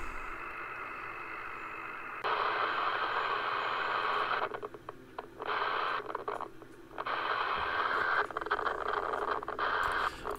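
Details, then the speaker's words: HAM International Multimode II CB radio on channel one high band, after swapping in a known-good VCO block: hissy static cutting in and out with crackly dropouts, signal voltage erratic; intermittent receive fault, VCO ruled out, C11 suspected. "fault has reappeared so it doesn't look like it's the vco that's the problem so we're injecting channel one high band and you can see the cell voltage is all over the place then it'll just clear and go right again really bizarre and then it just goes again"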